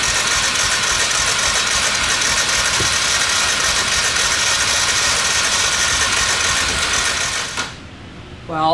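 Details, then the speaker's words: Dirt bike engine that died while running, oil added to cylinder: starter turns quickly and lightly with little resistance, no firing; compression slightly better but still lost, suspected damaged valve. "it's a little bit better than before i did that not great pretty sure we are losing the compression bottle but now we got to figure out why what happened"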